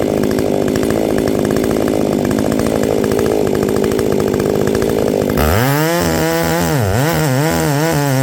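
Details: Ported Echo 670 chainsaw, first time cutting wood after porting: a crisp high-revving two-stroke scream, with pitch dipping and recovering under load in the wood. Normal chainsaw running and cutting.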